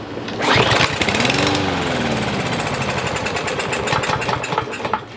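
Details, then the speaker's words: Troy-Bilt TB110 push mower, 140cc engine, sat a year under leaves: on starting fluid it bursts into rapid uneven firing, stumbles and dies within seconds; spark confirmed, so the carburetor isn't feeding fuel. "Alright, so we know that it's got spark, and we know that it will actually start. So guys, you know what that's going to leave us to be doing, and pretty much we need to figure out how to get to that carburetor."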